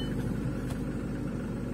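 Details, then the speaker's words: VAZ 2110 8-valve injector, previously no idle and no start without gas pedal; after replacing the idle air control valve, low even rumble holding steady speed without hunting or stalling; normal idle. "подняла обороты ну прелесть до всего лишь дело было в датчике точнее в регуляторе"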